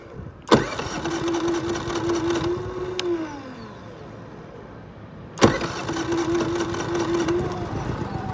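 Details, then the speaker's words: Brand-new Generac iQ3500 inverter generator, about two hours old, giving zero volts with a misaligned exhaust melting plastic; started with no load and economy off: small engine catches briefly twice, runs seconds, then fades out; won't keep running. "unbelievable it's doing its best well it started up just straight away before I didn't have any trouble starting until now you can hear it trying"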